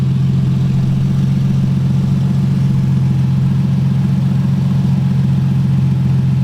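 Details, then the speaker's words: Nissan Z, straight-piped exhaust awaiting rear-mount turbo: loud, raspy, booming idle with heavy low drone, unmuffled; power steering whine noticed earlier, fluid never added. "This thing is so loud right now. I don't know how people with straight pipe Z's live with themselves. It's like actually horrible."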